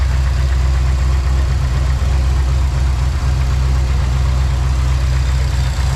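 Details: 1970 Ford Maverick with MSD Atomic EFI, after fitting a new gas tank, fuel pump, regulator and return lines: steady, even low idle rumble with no knocks, misses or hunting; engine running smoothly, normal idle.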